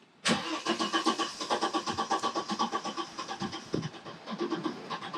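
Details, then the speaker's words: 1991 Audi 90 20v quattro, first start after fitting a new fuel filter and priming the pump a few times: starter spins the engine at an even, quick rhythm for several seconds without catching, fuel not yet through. Long crank, no start. "it's getting there. Not quite."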